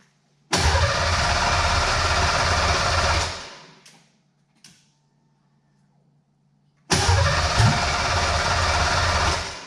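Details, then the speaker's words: Fox-body Mustang 5.0 V8 project, first start after fitting transmission and new nylon fuel lines, pump primed four times: catches quickly into a deep even burble, shuts off, restarts straight away; runs cleanly. "oh that's very impressive"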